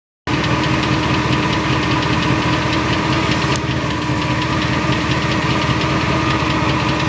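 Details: 2002 Silverado 8.1 V8 with Allison 1000 4WD idling, fast even light ticking from the bellhousing area, not the block or pan; flexplate, converter and bolts new under 1000 miles, cause unknown.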